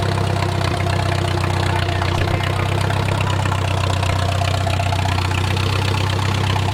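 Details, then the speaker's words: Wartime H tractor, first run after 20+ years sitting, at full operating temperature with idle slowed: steady, even low idle, smooth beat, no knocking or misses, great oil pressure; normal idle, engine judged good. "we are at full operating temperature and we still got great oil pressure"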